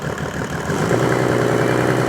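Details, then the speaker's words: Rebuilt Mercedes OM606 diesel, hot, revved from idle to just under 2,000 rpm: smooth, even hum with no knocks or rattles; oil pressure about 40 psi, normal. "so I'm about 40 psi at maybe just under 2,000 revs, maybe just under 2,000, and then if we give it a blip, we see about a maximum of 60 psi."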